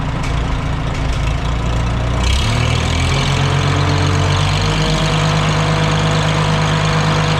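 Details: Antique Farmall H tractor with a newly rebuilt, cleaned carburetor after a fuel-system cleaning and an added strainer, choked start: the engine catches after two seconds and settles into a steady, even low idle with no misses or knocks. Runs well and the carb does not leak.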